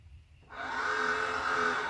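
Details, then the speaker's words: Orion XX14g 14-inch GoTo Dobsonian telescope, SynScan-controlled, during restoration: the azimuth drive motor whirs up to a steady high whine after a short lag, then drifts off. Owner suspects excessive gear slop, something loose where it attaches to the base. "लगता है कि gear में बहुत अधिक ढलान है यह आधार से कैसे जुड़ा है, इसमें कुछ ढीला है,"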